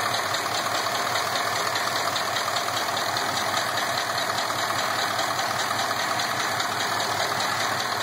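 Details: V8 idle with steady light tick about twice a second and slightly uneven beat; check engine light flashing under acceleration, code P0306; cause was a collapsed DOD lifter.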